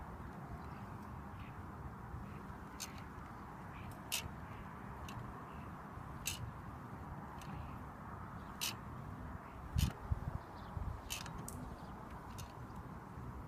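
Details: Bicycle wheel under load from the left leg: sharp chirping ticks about once a second as spokes flex and rub where they cross over each other; noise worse under load.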